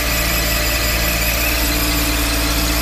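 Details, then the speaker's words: Mercedes SL500 R129 V8 idling smoothly after throttle actuator learning, with a steady high belt squeal; source unclear, suspected near the water pump, air pump also loud. "belt squeal a little bit"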